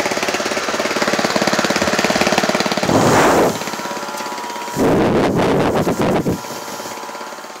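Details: Honda GX160 gasoline engine, governor set to about 1000 rpm, driving a Flymo DC motor as a 12V generator (~15V) running a 12V tyre compressor: slow, steady single-cylinder thumping with hissy bursts over it; normal slow governed running under load.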